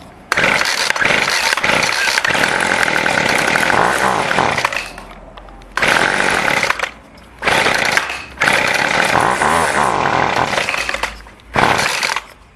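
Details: Two-stroke weed eater after its carburetor was adjusted: crisp, clean revs in repeated bursts that pick up and drop back cleanly between throttle blips; running well.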